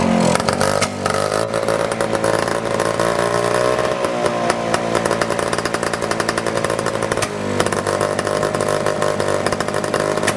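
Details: 1955 Messerschmitt KR175-2b two-stroke, first run after about 60 years sitting: buzzy, crackling note climbs and drops with each throttle blip and keeps running steadily; sounds healthy.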